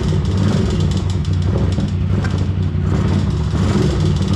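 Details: Ducati Monster 750 V-twin before engine removal: heavy, uneven clattering over a deep throbbing rumble as it revs; engine knock, cause not yet found.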